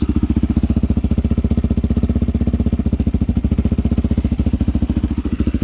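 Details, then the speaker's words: 1987 Honda XL250R RFVC single, barn find that sat for years, on fresh gas, cold after first-kick start, Supertrapp exhaust: even thump about 220 beats a minute, quiet, no ticking or clatter; RFVC usually noisier, healthy idle. "wow the engine's nice and quiet normally they're a little bit noisy the rfvc has a little bit of noise sometimes but i can't believe how quiet this is"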